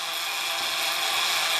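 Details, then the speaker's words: LKZG automatic beam alignment unit, fed by electronic integrator signal, pulsing onto the beam: Nachlauf (follow-up) motor turns near its set point with fine steady whir and light ratchety texture, compensating integrator drift; running normally. "You now hear that the Nachlauf motor is turning. It turns when it gets close to its set point."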